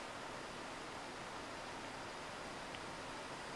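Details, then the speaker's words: Old desktop PC after replacing a noisy power supply with a silent one, just booting: soft, steady airy hiss with no whine, rattle or fan roar; huge improvement over the original jet-engine noise, normal quiet running. "So far though, that's sounding like a huge improvement. It's not a jet engine anymore."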